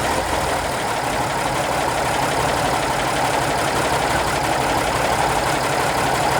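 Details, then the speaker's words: Minneapolis Moline G1000 tractor after cylinder boring and head work, not fully warmed up: steady even idle with smooth low beat, no knocks or misses; normal idle. "sounds good oh yeah"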